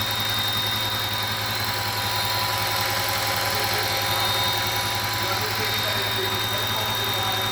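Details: 2008 Audi S8 5.2L FSI V10 at steady idle with a thin, constant high whistle above the engine hum; vacuum leak past a faulty throttle body gasket.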